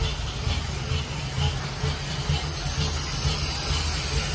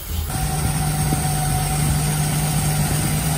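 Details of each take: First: 1946 Dodge pickup barn find, old six after regapping bad, loose points and a new condenser. On choke, no coolant, idle still to be set: low steady rumble with an even beat, no misses or knocks. Idles cleanly. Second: 1946 Dodge pickup barn find after gapping the points and a new condenser, run briefly with no coolant; steady smooth hum without misses or knocks but sitting at a fast idle; runs really well, idle still needs turning down.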